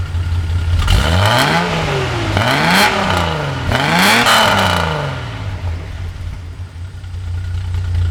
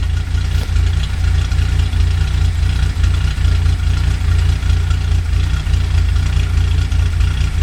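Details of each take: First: 1982 Datsun 280ZX, otherwise stock, with Motorsport Auto ceramic-coated header, 2.5in straight exhaust, K&N intake, rebuilt EFI, about 37°F outside; three quick throttle blips, light to heavier, climb and fall cleanly, settling to steady even idle; normal free revving. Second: 1982 Datsun 280ZX with ceramic-coated header, 2.5in straight exhaust, K&N intake, rebuilt EFI, warmed up at about 37°F outside; steady low rumble with slightly uneven beat and occasional small stumbles; slightly rough idle, owner suspects plugs or valve adjustment, unconfirmed.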